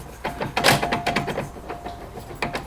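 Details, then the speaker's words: 2011 Polaris RZR 800 rear drive shaft U-joint, shaft rocked by hand: irregular loose clacks in short bursts showing play; a worn U-joint, not as bad as the front one. "one's not as bad as the front, but it's definitely not great."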